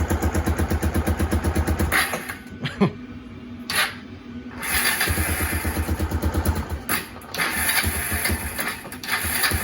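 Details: Kawasaki KLF300 Bayou 4x4 ATV, warmed up: steady idle pulses, then stumbles and cuts out when throttle applied; ticks over well but misfires and won't pick up under throttle. Owner suspected plug, coil or spark cable; cause unconfirmed.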